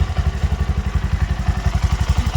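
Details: Bajaj BS6 single-cylinder motorcycle, low mileage, after repair of an internal engine noise from a crankshaft bearing (rod and bore reused): even, steady low thump about eleven beats a second, no knock or rattle; healthy idle.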